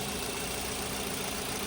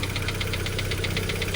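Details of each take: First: Mitsubishi Xpander idling after draining the too-thick oil and refilling (3.5 L capacity): steady, smooth hum with no top-end ticking; the timing chain rattle is gone, the oil was the problem. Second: Mitsubishi Xpander noisy right after an oil change, idling: a light metallic ticking at about seven per second, timing chain slapping; very thick oil, possibly gear oil, was put in instead of the correct oil, and it will be drained.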